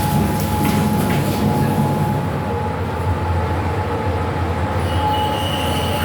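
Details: Fujitec 8-person 540 kg lift, floors 1-11, Blk 410 Choa Chu Kang Avenue 3, Singapore: steady low rumble with thin constant whistling tone and higher squeal near the end; abnormal running noise, source unclear.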